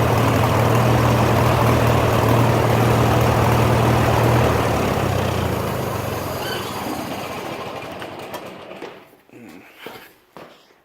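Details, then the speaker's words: Farmall H tractor at operating temperature after plowing, air cleaner off: old engine thumping about four beats a second, a touch uneven and crackling, then dying away; rough running; owner suspects carburetor out of adjustment. "the carburetors out of adjustment or what"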